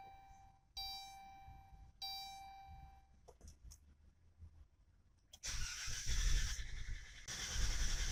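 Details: 2011 Dodge Grand Caravan that won't start or stay running, no error codes stored: two door chimes, a brief crank, then the engine catches, races unevenly and surges without settling; suspected TIPM, crank sensor, throttle position sensor or fuel issue.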